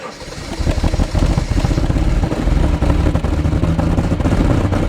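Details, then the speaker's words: 1997 Jaguar XJ6 X300 3.2 manual, right after replacing the crankshaft position sensor: it catches and revs, but the beat is uneven and lumpy with stumbling pulses; excess fuel from repeated earlier start attempts is suspected. "KY so it sounds like the engine is now running although it sounds very lumpy indeed I suspect it was probably the excess fuel buildup with me trying to start it several times before I replaced the sensor sounds like a boy racer car"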